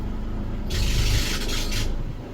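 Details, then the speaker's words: Mercedes W204, rough-running engine: harsh rasping hiss swells for about a second when steering wheel is turned over low engine hum; suspected tensioner pulley or alternator freewheel, being replaced, otherwise power steering next; cause unconfirmed. "schauen wir welche ist das noch eine Problem ist wenn wir drehen wenn wir drehen das Lenkrad das macht so Geräusche."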